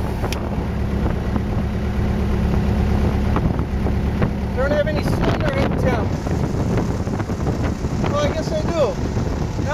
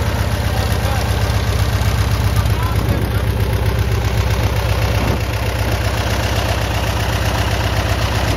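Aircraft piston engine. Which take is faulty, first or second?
second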